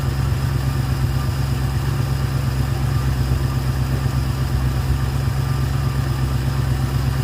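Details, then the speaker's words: Ford Fairlane scrapyard rescue after installing a Holley 500 cfm carburetor with manual choke and readjusting the throttle linkage; warming up at about 1300 rpm fast idle, steady and even with no misses or knocks; normal fast idle. "I'm going to let it warm up a bit and then I'll probably turn the idle down a twitch. It's at about 1300. Sounds good."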